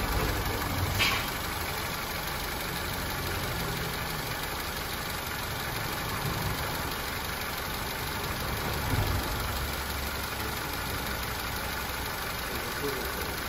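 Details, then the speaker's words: Opel Corsa D Z12XE engine idling quietly and evenly, no knocking or ticking, after repair of a cylinder head cracked by overheating; cooling system working, antifreeze filled; normal idle. "the cooling system is working very well , the antifreeze is filled, our car is OK, everything is OK"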